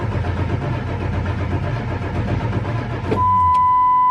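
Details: 1999 Ford F350 7.3 Powerstroke at about 52°F with two healthy batteries, before the oil pump fix: long steady cranking at about three turns a second with the oil pressure gauge at zero. A hard start from weak oil pump pressure, not glow plugs.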